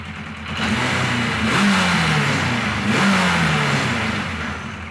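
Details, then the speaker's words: Kawasaki KZ1000 Police motorcycle, still not fully sorted: revs ramp up at startup, then hang high, wander and drift down slowly; behaves like a huge vacuum leak, misfires also present, cause unknown. "when you first start it up it ramps up I'm not really sure why [Music] and it wanders like I said it just behaves like a huge vacuum leak"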